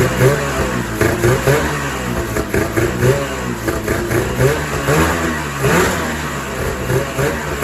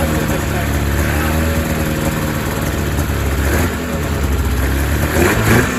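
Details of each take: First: 2000 Ski-Doo MXZ-X 440 liquid reed-valve two-stroke race sled after fuel system repairs (carbs cleaned, pickup line replaced, primer lines corrected): picks up cleanly and answers repeated throttle blips crisply; running properly. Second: 2000 Ski-Doo MXZ-X 440 two-stroke race snowmobile, fuel system flushed, running without airbox: slightly uneven, muffled low idle before throttle blips; owner thinks it runs a little fat, loaded up and choked at low end, tuning pending.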